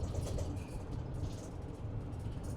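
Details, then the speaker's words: Chinook Class B camper van cruising at about 45 mph on cruise control: steady low road and engine rumble with faint loose rattles from the rear cabin; source not yet found. "And when we're on a little bit longer trip or maybe the next trip, I am going to go back there and find what all the rattles are and we will make them stop rattling."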